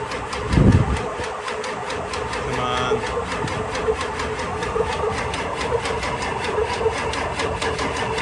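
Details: Ford 7.3 diesel truck with a recurring blown fuse, some glow plugs possibly not working: engine labors with an uneven chugging beat and never settles into a clean idle. Hard start, cause suspected, not confirmed.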